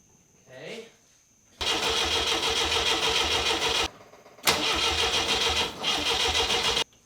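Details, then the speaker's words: MGB abandoned 27 years, cranked without fuel; two roughly two-second bursts of steady starter cranking that never fire; voltage present at coil but distributor not seated, so it isn't turning and there is no spark: crank, no start. "the distributor didn't seat all the way in so that's my issue i'm not getting any sparks because there's nothing turning the distributor"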